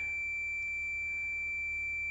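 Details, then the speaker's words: Fluke 10 multimeter continuity beep-test, automotive fuse testing via decade box: a steady, unbroken high tone at 91-99 ohms, just under the cutoff. The beep stops at roughly 100 ohms, like the Fluke 12. "right about 100 ohms it cuts out. So just like the Fluke 12, the beep threshold on the Fluke 10 is roughly 100 ohms."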